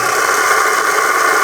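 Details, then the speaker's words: Bronson Raw Jamie Foy skateboard bearings after cleaning with Windex, spun on the wheel: an even, airy whirr that holds steady with no gritty or rusty rasp. Smooth bearing spin, much improved. "Way better. Doesn't have that rusty sound to it. That sounds good."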